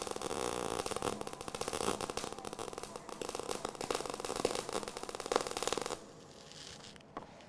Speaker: so you can hear the sound was the had a bacon frying sound it was a lot better